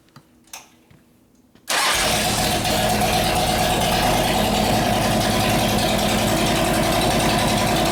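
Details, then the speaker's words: S&S 93ci Evo V-twin with panhead rocker boxes in a 1999 bobber, about 250 miles, sat about 12 years, repaired for no oil pressure; oil pressure now present, oil low and foamy: catches instantly, loud steady even lope, no knocking; healthy. "Burning all the crap off of it. Alright, well it runs."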